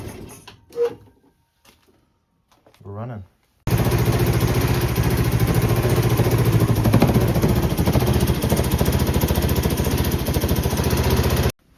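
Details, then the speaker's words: 1984 Honda Elite CH125 scooter with a swapped-in 1985 CH250 engine, first startup after the swap: loud, sharp, rapid putter with raw exhaust bark from an exhaust manifold leak. "So, I don't know if you heard, but in that startup, my exhaust was pretty loud. So, I have that exhaust manifold leak."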